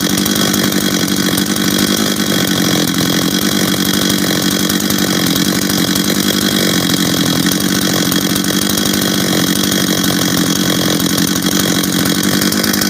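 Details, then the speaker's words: Husqvarna 385 chainsaw, first start after reassembly, first heat cycles: steady even two-stroke buzz at constant speed with no misses or rattles; sounds good, idles good. "hold on work he right work sounds good idles good good"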